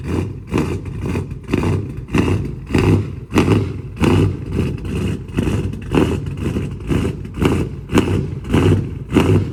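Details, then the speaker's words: Dodge Charger Scat Pack 392 V8 with cam, new 1050X injectors and Boost-A-Pump, previously running lean: cold start, deep rumble swelling and fading about every half second, surging until idle regulates itself after about 1.5 minutes. "It is gonna surge on the startup, and then once it gets to like that little idle level, it'll pretty much like regulate itself."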